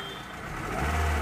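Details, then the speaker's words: Hyundai Verna that would not start (check engine light coming on and going off, no immobilizer light, suspected faulty ECM), after a scan showed no fault codes: engine catches quickly and settles into a steady, even hum; check light goes out, runs normally. "तो गाड़ी को कर मारता हूँ self, और ये अपनी check light भी चली गई, और ये अपनी गाड़ी स्टार्ट हो गई।"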